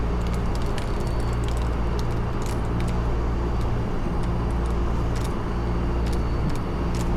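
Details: AAON rooftop unit 3-phase condenser fan motor: steady low hum with an even drone, no rattle or banging; normal condenser fan running.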